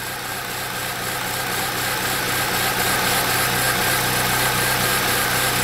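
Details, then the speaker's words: 2007 Saab 9-3 2.0T with intermittent rough running, gas smell, injectors staying on (P1682, P0201-P0204): engine clearing up to a steady even idle with no misfire once the fault clears. "I can hear it starting to clear up. Everything's coming back to life."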